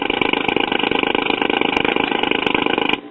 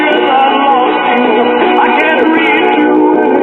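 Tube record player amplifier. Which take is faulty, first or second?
first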